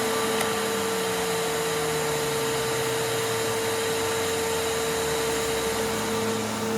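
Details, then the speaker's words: Simplicity Symmetry vacuum: steady motor whine with a lower tone sliding down underneath. A new felt gasket helped slightly, but the worn brush roll clutch and clutch pad still need replacing: worn brush roll clutch noise. "that felt gasket did help a little bit, but we're still going to have to go through it and replace those two components, the clutch pad and the clutch itself."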